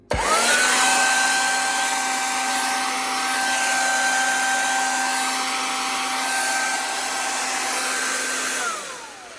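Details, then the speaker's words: Vacuum cleaner motor reassembled and plugged in, running: steady whine over rough hiss with a faint grating edge, less pronounced with brush roll on; lacks a dust seal; residual motor grating noise, cause not pinned down. "Still got a bit of a grating sound. But that does seem to not be so pronounced when the brush roll is on it."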